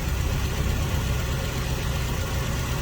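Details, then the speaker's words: Toyota Tarago/Previa/Estima engine, first start after new head gasket and refreshed head, weak battery assisted: low steady idle, even deep rumble, no knock or miss; normal idle. "Looks like it starts up. It had a little issue, but that's because probably we didn't get enough fuel in the system. But now it's running."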